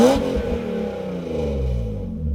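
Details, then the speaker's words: BMW E36 M3 with the clogged factory muffler removed (muffler delete): a loud, raw, unmuffled exhaust blip rising and falling with throttle; the clogged muffler had been choking the engine. "It's definitely a lot louder. Let's pull it out. Yep. Mufflers do a big difference."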